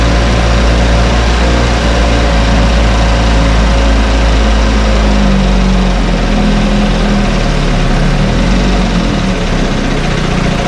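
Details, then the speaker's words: 1968 Evinrude Fastwin outboard in test tank, untouched, Sea Foam mixed in fuel: steady even low burble, smooth cold-started idle, no misses or coughing; normal idle. "every time we start it up and running it runs a little better i do have some uh seat balls mixed in this particular fuel tank and it just keeps cleaning things out"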